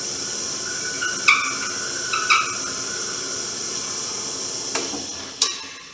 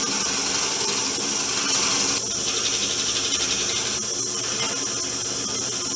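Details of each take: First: Porter Cable PCB660DP 15-inch floor drill press drilling end grain with 1/2-inch bit: steady high motor hiss with sharp squeaky chirps as bit enters the hole; binding because table is out of square. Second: Porter Cable PCB660DP 15" floor drill press, speed lowered from 1620 to 700 rpm, 1/2" bit fully extended through hardwood end grain: even cutting hiss with no squealing, after squaring the table and removing drill bit runout.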